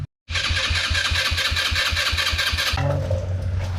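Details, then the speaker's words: Icebear Maddog 150 Gen IV GY6 scooter that ran fine then quit: steady fast, even starter churning with no firing; cranks but won't start, no spark from a faulty CDI. "I got this mad dog that won't start it was running great and now it won't run it just cranks"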